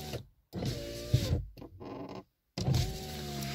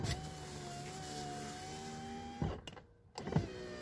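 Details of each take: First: VAZ 2115 power window before repair, car freshly washed: motor whine with a dragging, squeaky groan on each stroke as the glass binds in a dirty seal channel; fixed by cleaning and silicone. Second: VAZ 2115 power window after cleaning the glass channel and applying silicone: motor runs up and down with a smooth, even whir, no squeak or rub; extraneous noise gone, normal operation.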